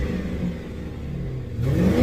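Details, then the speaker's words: 2006 Lincoln Town Car after replacing an original ignition coil, possibly cracked, that had misfired under heavy load, with a mid-grade Blue Streak coil: the engine revs cleanly with even firing and no stumbling or popping; misfire gone. "check engine light on as in clear jet here you can hear the motors not stumbling"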